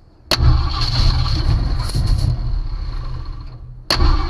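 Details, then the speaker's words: 1965 Ford Mustang with the coil hot-wired straight to the battery, key off: it catches, runs rough about three seconds, sags and dies, then cranks again; won't stay running, owner suspects a failing ignition. "i must not be doing something right because uh it wants to crank but it won't stay running"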